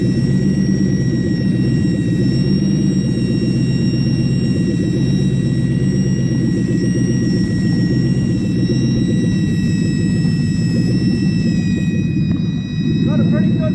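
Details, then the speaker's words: Toyota 1UZ-FE V8 at idle with a secondhand intake manifold just fitted: steady high-pitched whistle over the exhaust rumble from air sucked past a leaking intake manifold gasket, located by spraying brake cleaner. "hopefully you could hear the whistle over the exhaust these an ear like a little bit of engine start break clean tab clean easy way to find it if you don't have a smoke machine"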